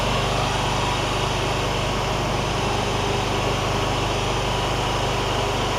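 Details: John Deere ZTrak Z915E Kohler V-twin, sat 2 years, after starting: even, steady drone with light fan rustle from oak leaves on the cooling fan, no surging or misfire. Running normally.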